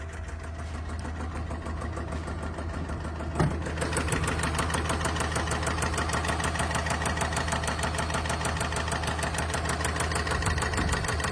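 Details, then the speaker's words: Jaguar petrol engine at idle, which the customer said began making an odd noise and smoking a bit: a steady, deep knock at about three per second. A rod knock is suspected but not confirmed, needing a rebuild or a replacement engine. "Unlucky for this customer, as you can hear, the Jaguar has what sounds like a rod knock and will need either a rebuild or a replacement engine put in it."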